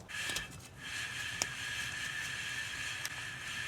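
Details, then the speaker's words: 2015 Chevy Malibu left rear hub, wheel, caliber and rotor removed, spun by hand: faint steady roar with a thin whistle; worn rear wheel bearing suspected, with erratic left-rear wheel speed signal. "Sounds like the bearing got some type of roar to it. It's a little bit."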